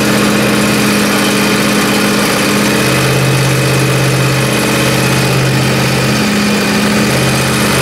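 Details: Small engine on a John Deere zero-turn after a hard cold start in freezing weather: steady even idle, smooth unchanging beat, no knocks or misses; normal idle.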